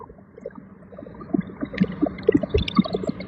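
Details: Jeep Grand Cherokee: irregular bubbling, gurgling pops roughly four a second over a quiet running engine; cause unknown.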